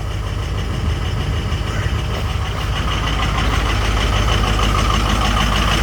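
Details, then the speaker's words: Diesel just started in 12-degree weather after 2 hours on the block heater, oil 56 and coolant 60 degrees; steady low rumble with hard ticking clatter, owner surprised it's so rough and expects it to clear up. Rough cold idle with diesel clatter. "So I'm actually surprised she sounds so rough. She'll clear up in a minute."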